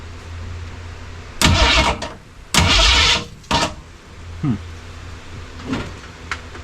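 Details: 1967 Mustang drag car project, first start attempt of the engine with coil and distributor, accelerator pump apparently dead: several short bursts of starter cranking with quiet gaps between, no cylinder ever fires; cranks but will not start.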